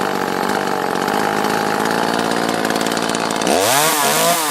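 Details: Echo CS-330T top-handle chainsaw after dropping a gasket at the carburetor vacuum intake: steady even high buzz, bogging and rising cleanly as it cuts wood; normal running after repair.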